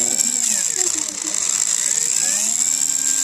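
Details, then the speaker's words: TXT1 gearbox after pinion backlash adjustment: high thin gear whir with light even ticking, nothing harsh; noise mostly gone, slight sound remains, judged acceptable before full reassembly. "全体的には消えたかなと思いますね。まあこの程度はよしとしましょうか。"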